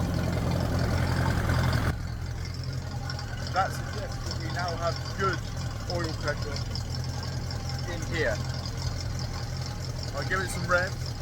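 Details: Ferguson TED20 tractor engine after oil, filter and oil-bath air filter change: revs briefly, then drops to a steady, even lower speed with clean regular firing, birds in background; oil pressure now good.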